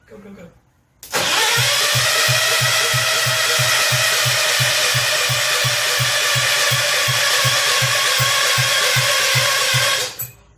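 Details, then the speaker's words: Rebuilt Kohler K241 in a John Deere 210 garden tractor, cranked with the choke on: steady starter cranking about three compression strokes a second for nine seconds, never firing. The ignition hot wire was not connected, so there was no spark. "that's a problem I'll be back let's try it with the hot wire actually hooked up I spaced that off"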